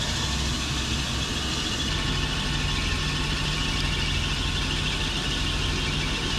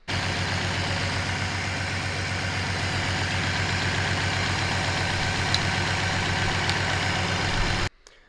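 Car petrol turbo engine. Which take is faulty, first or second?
second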